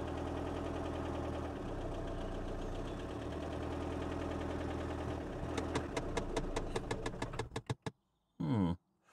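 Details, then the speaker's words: Mini Paceman bought without keys: uneven labouring run that won't rev, clicking, then a string of loud chuffs slowing and fading before it cuts out; runs rough and stalls. "hey it that was shortlived uh it wouldn't rev it's clicking okay it it's trying to Rev"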